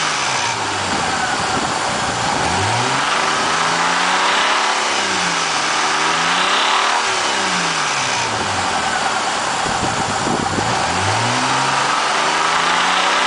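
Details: 2000 Eclipse engine revving up and down repeatedly, pitch sweeping with speed over a coarse rasp; weird abnormal noise, cause unclear.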